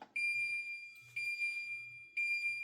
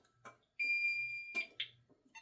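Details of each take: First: Safe House 49-485 alarm panel, zone 8 burglary panic triggered from an STI SS 2400 push station: shrill pulsed siren repeating about once a second; panel arms itself and immediately goes into alarm. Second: Safe House 49-485 alarm panel siren test while holding the delay button: steady high-pitched siren tone about a second then clicks, burglary and fire zone sounders alternating about every second; sounder working normally.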